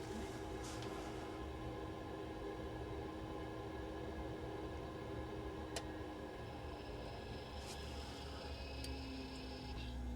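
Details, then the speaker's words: Heating zone valve just replaced, wired via 5-way connector, heating demand on: quiet motor hum for a few seconds then faint click as valve drives over; pump starts and boiler fires; normal operation. "Okay, so we hear the click, you can see it motoring over. Pumps on. Boiler's fired up."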